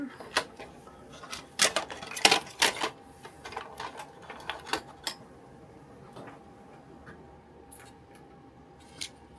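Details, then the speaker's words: Sony F75W 1.44 MB Mac floppy drive in Apple 3.5 enclosure on Apple II disk controller card, booting; irregular bursts of sharp clicks and chatter as the head steps, easing to sparse ticks; much quieter drive, boots slightly faster; normal seek noise. "It does boot faster. Not a lot faster, but it does boot faster. And the drive is so much quieter. So much quieter."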